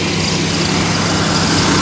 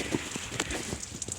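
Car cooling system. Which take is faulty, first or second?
second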